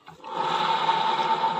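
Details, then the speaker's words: Honda ADV 160 scooter, about 5,000 km and two years old, CVT pulley spinning freely with a steady rough gritty whirring growl ("ngorok"); worn pulley needle bearing found and replaced, restoring smoothness. "eh ternyata di adpis60 e ada suara kasar atau ngorok ternyata di bagian ee cuman saya ganti ini aja Enggak semuanya saya ganti karena memang kondisi motor baru 5.000 KM"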